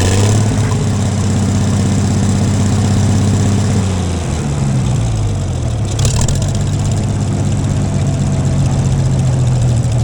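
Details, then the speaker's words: Gleaner combine gasoline engine after its first start following a carb rebuild, starter rebuild and two straightened push rods. Steady low rumble settling into an even idle with no knocks or misses. Runs better after blowing exhaust debris, suspected a mouse nest; normal idle. "she runs okay I feel a little better about it"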